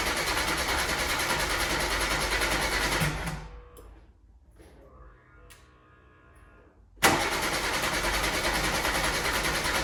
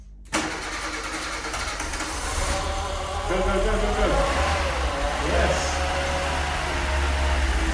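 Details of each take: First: 1988 VW Golf MkII barn find, stood 14 years, new in-tank fuel pump fitted and pressurizing: starter cranks steadily about 200 rpm, pauses, cranks again, never catches; crank no start, no fuel delivery, moving on to second fuel pump under car. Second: 1988 VW Golf MkII barn find, stood 14 years, after fuel pump work: quick crank then fires and settles into a smooth even steady run; first start, runs very nicely; distributor, water pump and secondary fuel pump still to replace.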